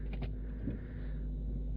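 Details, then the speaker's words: VW Phaeton 5.0 V10 TDI diesel after power steering pump replacement, done without engine removal: low, smooth, steady idle with no whine or hum even while turning the wheel; previous pump whined. "pompa wspomagania wymieniona wszystko w porządku nie ma żadnego buczenia nic"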